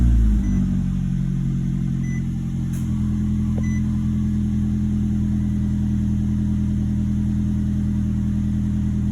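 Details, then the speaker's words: 2011 Nissan Altima after ignition coil replacement for a cylinder 3 misfire (P0303) and clearing codes: restarted, settles into smooth steady idle with even hum, no stumble or misfires after about 10 seconds; normal idle. "I can already tell it's running much smoother, much cleaner. It's already been about 10 seconds and so far no misfires."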